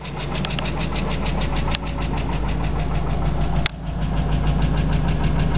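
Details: Chrysler 300M at morning cold start: quick light ticking about three per second over starting and idle; intermittent, louder on acceleration, fades after a few miles; car also overheats and empties radiator, oil normal, no smoke. Owner suspects lifter tick or spun bearing.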